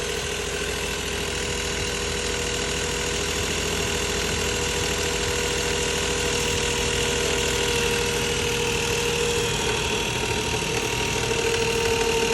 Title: 2006 Nissan Maxima Timing Chain Rattle